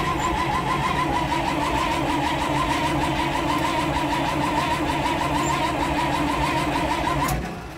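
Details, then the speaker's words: Broken-down truck "Mater", cranked on a hot day: steady starter churn with even cranking rhythm, acts like it wants to fire but never catches; crank-no-start. "It acts like it wants to fire. All right, guys, the cell phone's overheating because it's hot as heck outside, but yeah. I got the Sony with me, too, so try to keep cranking this thing up."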